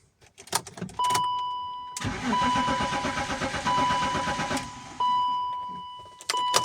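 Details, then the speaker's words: BMW E53 X5 cranking with fuel in the tank: starter turns the engine in quick even pulses for a couple of seconds and never fires, warning chime throughout; no fuel pressure from a failed fuel pump under the seat. "բենզին բակում կա բայց շարժիչը գործի չի ընկնում:"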